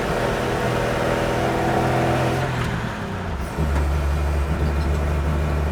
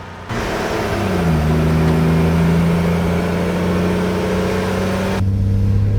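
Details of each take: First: Old Chevy truck after HEI distributor swap, lugging uphill under high load near wide-open throttle, kept under 3,000 rpm: labouring, stumbling drone that breaks up, cured by switching on the electric fuel pump; fuel starvation, owner believes not spark-related. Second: Old Chevy truck after HEI distributor swap troubleshooting, misfire fixed so all cylinders have spark, oil pressure good, no knocking: engine climbs smoothly to about 3,000 rpm with even, clean drone and no stumbles; normal acceleration.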